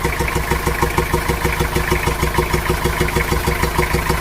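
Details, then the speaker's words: Diesel engine with a genuinely leaking intake valve, heard with the air filter opened: steady idle with a "jes jes" hiss at the intake and a "bok bok" puffing pulse about three times a second. "nah di situ kelihatan jelas ya bahwa mesin tersebut bersuara jes jes jes bok bok bok seperti itu kalau ini emang benar nya itu bocor bagian intake valve-nya pada mesin"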